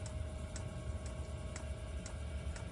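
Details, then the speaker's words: Espar Airtronic S2 D2L diesel heater in a 2019 Sprinter van, with new 1/8-inch fuel line: fuel pump ticking about twice a second over a low blower hum while priming, but no fuel arriving. "all right you can hear the fuel pump running we ran new 1 8 inch fuel line for the entire way except for this uh one little piece and we're running the fuel pump to make sure fuel comes out"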